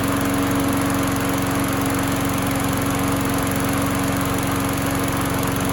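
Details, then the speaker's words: Craftsman lawn mower single-cylinder after flywheel key replacement, fixing popping no-start: steady, even drone, unchanging pitch, no misses or pops; running healthy. "I was about 15 20 minutes of running runs really good happy with this the how this thing turned out"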